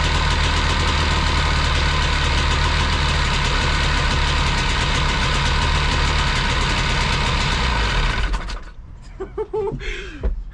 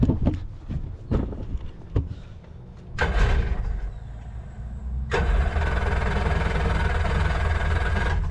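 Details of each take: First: Engine of a cheap used jet boat: fires right up and holds a steady, even low rumble at idle with no missing or knocking, then is shut off. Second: Cheap marketplace jet boat engine run on a water hose: several ragged, uneven firing bursts stumble and die as a little more gas is given, then it catches and holds a rough steady run; hard starting.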